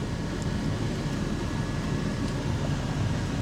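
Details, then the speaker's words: 1997 Chevy 1500 (OBS) with the AC blower on high: a loud, steady rushing roar, but almost no air from the upper vents, with some coming out lower down. Owner wonders whether it is Freon or the compressor, unconfirmed. "Because you hear it, right? It's loud, it's blowing pretty loud, but it ain't an ounce of nothing coming out of here, bruh."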